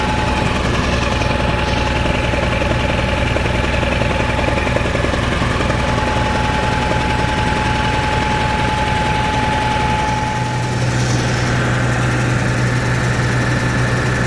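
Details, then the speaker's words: Cat 3306 gas engine, reported unable to carry a load, idling: uneven, stumbling, popping beat; pulling plug wires showed number six had no effect; cylinder misfire at idle. "I can I can hear it's it's missing right now sounds like it has a valve or something it's popping"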